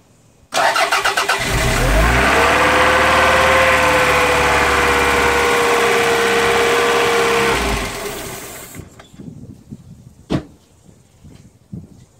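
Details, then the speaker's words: Toyota MR2 with a start-then-stall fault, cold start outdoors in wind, battery just reconnected. Cranks, catches and runs evenly for about six seconds, then rpm sags and it dies, same as before; cause not yet found. "Okay, so we've got the same issue as we had last video, where on cold start she runs."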